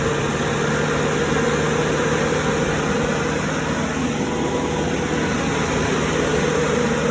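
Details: Cummins 3.3 QSB diesel from a stump grinder, run after rebuild with pistons, rings, rod and main bearings and head gasket (had oil from the blow-by tube), Insight connected: settles into smooth, even idle, constant low drone, no knocks or misses. Normal idle.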